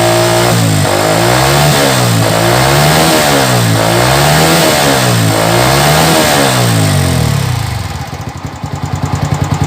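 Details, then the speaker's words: Old Yamaha Vixion single-cylinder, coolant missing, started briefly to flush water-contaminated oil: surging up and down about three times a second with a rough, uneven note; abnormal engine noise, cause unclear, to be confirmed with the owner. "Enggak tahu juga tadinya bunyinya motor ini seperti ini nanti kita akan konfirmasi dengan pemiliknya gimana dengan bunyi seperti ini"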